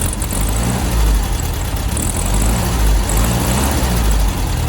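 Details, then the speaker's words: VW Beetle warmed up, before carb tuning and ignition timing: low lumpy idle that bogs and nearly stalls on each throttle blip before picking up; carburettor flat spot. "so when i hit the accelerator you can hear there's a bit of a flat spot so that's what happens when as soon as you hit the gas basically the engine stumbles for a little bit before it picks up"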